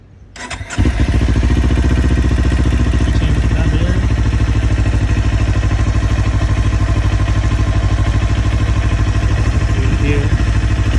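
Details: 2019 Kawasaki Ninja 400 parallel twin starting and settling to idle with a light, fast ticking running over the engine note.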